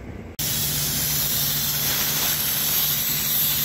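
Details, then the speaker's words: Heavy-duty truck air brake system feeding the RV brakes: with air on, a sudden loud, steady hiss at the glad hand connection. The worn glad hand seal is leaking air and is being replaced. "yeah you can even feel it taking the seal off the glad hands here yep take the old seal out how's it look a little worn out"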